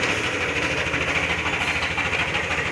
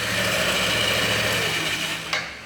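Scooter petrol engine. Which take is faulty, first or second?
first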